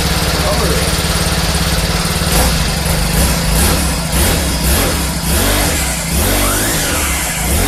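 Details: 2020 Cub Cadet SS 470 four-stroke string trimmer after its pull start was replaced (part 753-08449); steady fast idle with a few light throttle blips, running smooth and even, runs pretty good.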